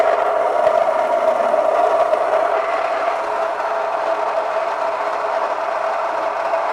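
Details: Home stone grain mill cracking barley at a coarse setting: steady mid-pitched grinding hum with a light gritty rustle, even and unstrained; normal running, grain coming out noticeably warmer.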